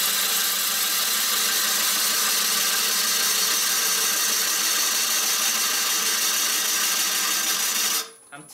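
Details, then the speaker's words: Maple burl bowl on the lathe: steady, even hiss of the gouge with no rhythmic interruptions until it lifts off. A continuous cut, showing the face is now flat. "you can hear there's a totally different sound is a more continuous cut therefore that shows me and if I look at the profile profile that shows me and I can hear and feel that the piece is flat"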